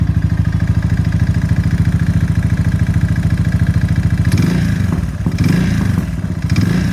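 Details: Suzuki LS650 single-cylinder motorcycle: a hollow rapid knock in time with the engine at idle, rougher when blipped, after a seizure at about 4500 rpm climbing a 6% grade into a 35-40 mph headwind; teardown showed a severely seized piston and .009"+ clearance, piston slap.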